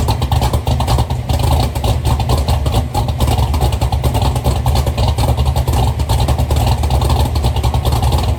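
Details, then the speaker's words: Chevy Nova V8 with freshly rebuilt twin carburetors, mic toward the rear: loud, deep, lumpy V8 pulling strongly through repeated revs with good compression thump and no misses or knocks; runs healthy. "this car sounds really good running it sounds it sounds like I was I was assuming this probably was like a 10 to one motor but it she's got some thump to it some compression"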